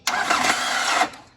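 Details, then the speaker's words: Diesel Nissan Frontier starter motor slipping when cranked: one-second high, raspy whir with no engine turnover; unsure whether the bendix (drive pinion) or the planetary gear is at fault, starter to be removed. "Eu vou dar partida, vamos ver se dá pra gente ouvir o barulho que ela faz. Ela tá patinando o Bendix, tá?"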